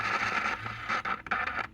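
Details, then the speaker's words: Philco Transitone tube radio with 1949 parts, playing after the electrolytics were replaced and a loose wire resoldered; the safety cap is not yet replaced. The output breaks into scratchy crackles and dropouts as the knob turns, from dirt in the volume control. "Got a lot of dirt in the volume control. Yeah, it works."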